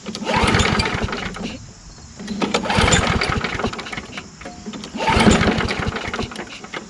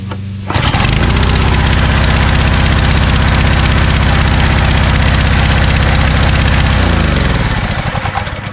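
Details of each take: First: Small engine, just refueled and fitted with a spare gas cap: it catches and roars a few seconds, dies, fires again and fades, never holding a steady run. Carburetor problem suspected, not confirmed. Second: Kärcher pressure washer engine restarted with low-oil sensor reconnected after adding oil: catches and settles into a steady, even small-engine beat about four per second, no misfire or knock, then winds down; adding oil was the fix.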